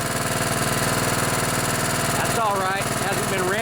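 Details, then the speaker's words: Craftsman LT1000 riding mower with a 16 hp Kohler Command OHV engine, pulled from a barn after sitting a long time. First start after cleaning the carburetor and charging the battery; it smokes a bit. An even, quick single-cylinder pulse at a steady idle. Normal running. "i think it's time to add some gas let's fire this baby up so she's smoking a bit"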